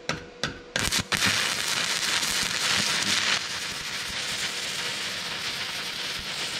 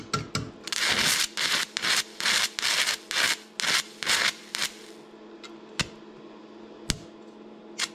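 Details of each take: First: Stick welding with Vevor MIG-250 welder at around 90 A onto rusty metal: a few sputtering pops as arc strikes, then steady even frying crackle; hard to start but burns smoothly once lit, normal arc. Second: Stick welding T-plates, rod box rated 60–90 A, set at 60 A: short crackling bursts that keep dying out over a steady hum; arc won't sustain, amperage too low, worked at 140 A.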